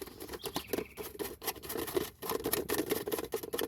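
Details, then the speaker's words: Honda City suspension: quick, uneven plastic clicking as a loose bump-stop cover is shaken; bump stop needs replacing but not critical, shocks and bushings fine. "devido isso aqui tá solto né então isso aqui faz uns barulhos da impressão que tem alguma coisa solta aqui"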